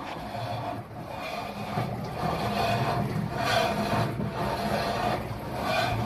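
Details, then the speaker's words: GE/Hotpoint washer making a loud scrape after being moved; harsh rasping scrape about every second as the tub turns; the metal cabinet floor got bent, fixed with no parts needed. "we've got a GE washer making a loud scraping noise which is common let me show you how to fix it"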